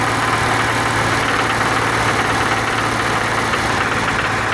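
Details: BMW M30 engine at about 2500 rpm: steady drone with a light irregular knocking/rattle on top; cause unknown.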